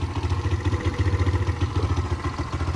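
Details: Derbi 125 with a CG125-copy single, a former non-runner, after a carburettor and fuel tank clean: an even, steady thump of about ten firings a second with no misses or rattles; it idles cleanly.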